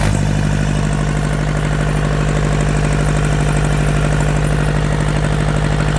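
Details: Yanmar TK486 4-cylinder diesel, all four injectors hooked up, hot grid heater used for cold start: even clatter at a steady idle, about three firing pulses a second, no misses; blow-by check shows no pressure from the vent.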